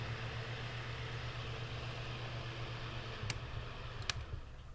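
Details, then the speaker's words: Bathroom fan, shaded pole induction motor, after first oiling, running: low steady hum with fine rapid ticking; bearings still stiff and seized, needing another round of oil starting with back bearings. "okay so that's still pretty seized up so we're gonna go ahead and put another round of oil in here into the motor do our gonna do our back bearings first"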